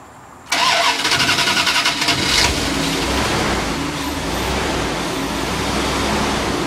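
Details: Wood-gas powered truck with the carburetor removed and replaced by a plastic cover, no gasoline, started after drawing gas up with a shop vac and timing advanced: a short crank, then a clean catch, a steady even run and a brief rev.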